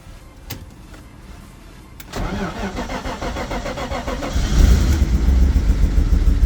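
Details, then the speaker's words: Cold early-morning start of a BMW E36 in snow, which has a massive misfire and low power: the engine catches and runs unevenly and lumpy, wavering as revs climb, somewhat knocking; a rough cold start, owner suspects cold oil. "oh that doesn't sound good well ladies and gentlemen the car started the engine doesn't sound too healthy right now let's be honest"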